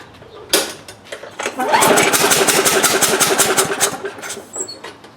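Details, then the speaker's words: Briggs & Stratton-powered Craftsman lawn mower that won't start though it has spark; pull-start cranking gives about four raspy, hissing chuffs a second as compression leaks, suggesting a blown head gasket (owner heard it leaking, suggests compression test to confirm). "It has spark, so I can hear when I pull it over, there sounds like the head gasket is blown."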